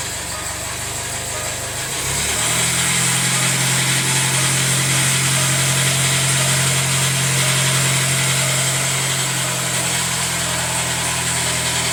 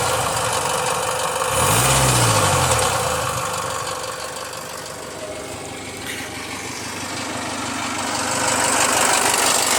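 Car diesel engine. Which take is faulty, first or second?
first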